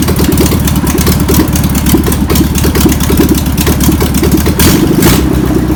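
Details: Flat-four in a VW pressed-bumper-panel bus, sitting over 50 years, keeps a steady putter at idle with even firing and no knocks after penetrating spray and fuel are added. Still needs tuning. Owner suspects a bad fuel pump. Deemed a runner.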